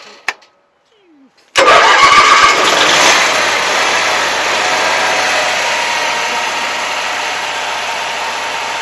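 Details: Onan propane genset right after a starter replacement. Silence, then a brief crank; it catches cleanly and settles straight into a steady, even run with no misses or knocks; a healthy start.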